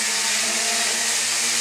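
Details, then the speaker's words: JXD 389 flying car quadcopter hovering in beginner mode: steady high buzzing whine from the small motors, even through the hover, loud and harsh for its size, blamed on the lack of ball bearings; loud gear and motor whine. "So you can see it's quite noisy. This noise is amplified, sorry, but because the absence of ball bearings. Okay, it's a drawback."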